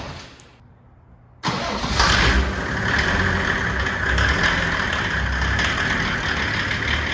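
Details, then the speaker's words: OM606 diesel-swapped Datsun 240Z, first start after fitting a billet turbo manifold with internal-wastegate-style setup, cranked to build oil pressure: catches cleanly into a steady, really quiet diesel idle with no knocks, misfires or exhaust leaks. "I can't tell. It's really quiet. Wow, let it warm up. All right. Sounds good. Sounds real good. Quiet."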